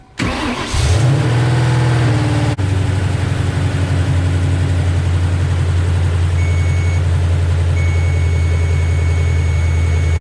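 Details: 1996 Mustang GTS with a lightweight Braille AGM battery, after sitting for months with no-start problems: the starter cranks briefly and the engine catches into a steady, even low idle with no knocks or misses. Charging reads 14.3 V; healthy start.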